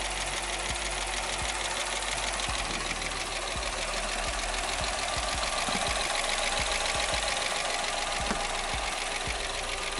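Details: 2006 Jeep Commander 5.7L Hemi at idle after lifter replacement for a lifter tick: steady, even idle with a light fast injector tick of about two per second, no lifter clatter or misfires; check engine light off. Normal, healthy idle.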